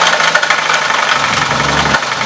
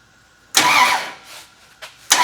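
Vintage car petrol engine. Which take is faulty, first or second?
first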